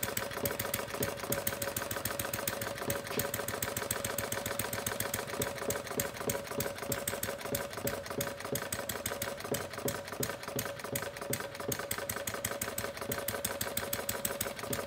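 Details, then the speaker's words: Homemade single-cylinder plumbing-parts gas engine (~0.875in bore, ~1.5in stroke, 7in flywheel) after misfiring rich: quick steady popping beats as needle valve is turned clockwise to lean the mixture, firing fairly even; engine speed expected to drop during mixture adjustment. "start closing down with leaning up the mixture as I do that I should slow down"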